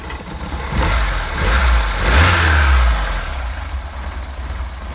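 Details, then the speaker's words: Opel Manta Berlinetta, cold start after long time off the road: revs rise and sag unevenly, coughing and spluttering, smelling rich; owner suspects it needs a little choke and a tune-up. "Sounds like it's running out of fuel, but it's probably probably just needs a little bit of choke."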